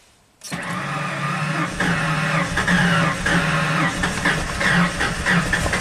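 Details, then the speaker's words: 1996 Ford F-250 7.5L big-block V8 after rebuild (new pistons, rings, camshaft), runs very rich and floods: starter spins engine with uneven, lumpy rhythm, never catches, little audible compression; starter possibly slipping, compression loss suspected. "I want to see if the engine is actually turning over when that happens you guys look at the belt here look at the fan this sounds really rich I guess the engine's turning over I didn't hear compression really very very strange so"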